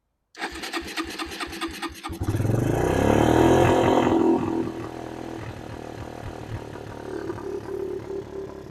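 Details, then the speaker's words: Suzuki LT160 quad bike, sat 3 years, after tightening a loose carburettor fitting: steady cranking catches cleanly, revs briefly, then settles into an even, unhurried idle, not too high; healthy start. "that sounds pretty good you know it doesn't seem to be idly too high"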